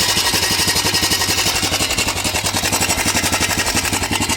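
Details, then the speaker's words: 2008 Honda Recon abandoned 15+ years, first cold run on half choke: fast, steady metallic clatter about four per second with a harsh rasp on top; abnormal running noise, owner unsure, possibly something dragging. "don't know if something's dragging or I don't I don't know what that noise is, but we're going to go ahead and try and get the tires aired up, move it around."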